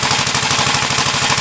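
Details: 1968 Gravely C8 single-cylinder after machine-shop cylinder work, oiled rings, and magneto points cleaned and adjusted to fix no spark, test run: crisp steady beat about ten per second, unbroken; normal running.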